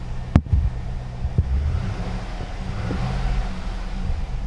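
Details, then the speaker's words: 2004 Cadillac Escalade with a crank-no-start complaint, after replacing a bad crankshaft sensor: engine catches, then a low, even V8 idle settles and holds steady with no misses or stumbles. "there we go she fired up and what I'll do here is I'll bring up the obviously the rpm signal"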